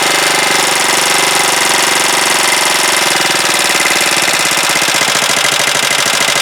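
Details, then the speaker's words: Huoniao HN125 single-cylinder, freshly installed engine, first start: fast, sharp ticking over the idle beat. Valve tappet rattle from loose valve clearance; the owner thought the tappets were done, but they need adjusting. "then I thought I'd done them tappets but thank you well obviously tappets need doing"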